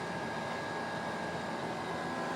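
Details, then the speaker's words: GENZ solar 3.5 kW air conditioner outdoor unit on a hot day, working above minimum speed: steady fan rush with a constant mid-pitched compressor hum, even and rattle-free; normal operation under high load. "Szépen teszi a kis dolgát. Azért nem alapjáraton megy, az hallatszik."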